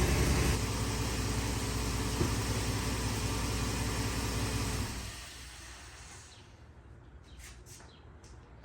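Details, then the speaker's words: Jeep WJ idling after greasing squeaky sealed accessory-drive pulley bearings: smooth even hum with no belt-side chirp, then engine switched off; owner expects the bearings are nearly worn out anyway. "Well, that cost me about oh about a half an hour of my time and a couple of squirts out of my grease gun and the noise has subsided."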